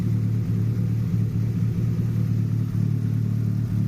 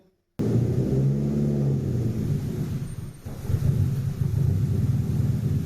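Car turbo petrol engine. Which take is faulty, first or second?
second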